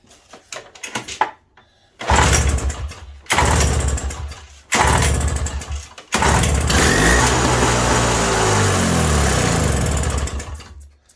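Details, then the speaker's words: 1987 Toro CCR 2000 snow blower, cold, choke out, new fuel line, carb pressure-tested, primed with a shot of fuel into the intake: a few sputtering catches, about four seconds of rough running, then dies; suspected not getting fuel. "Put another cheat shot down her. There we go. Probably fire up and die."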